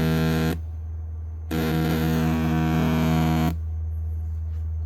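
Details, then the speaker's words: Emberton portable speaker with strange sound, tested with an 80 Hz tone: steady low hum turns into harsh crackling buzz in bursts, clearly distorting; rear driver fine, front driver faulty and to be replaced. "เสียงแตกค่อนข้างชัดเจนเลยนะครับอันนี้เดี๋ยวเรามางัดตะแกงหน้าขึ้นดูกันครับว่าตรงไหนมีปัญหานะครับ"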